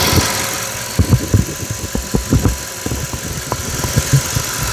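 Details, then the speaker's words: Audi S8 idling after intake manifold work: even low idle with a few loose thumps around it, no misfire or air-leak hiss; no engine light, no fault codes on the scan tool, no leaks; runs smoothly. "regardez on a pas le voyant moteur et le régime tour minute et ben il tourne impeccable regardez ça tourne bien on va aller voir le moteur vous allez voir que ça tourne rond il y a aucun souci il y a aucune prise d'air"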